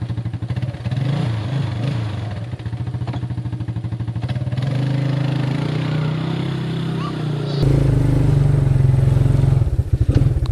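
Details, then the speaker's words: Neglected 1987 Suzuki LT 250 4x4 single-cylinder quad, just revived on a used battery and jumper box with the starter solenoid bridged, sock over the intake. It thumps at a fairly even beat, picking up smoothly with throttle. Normal running. "so as you can hear it runs pretty well"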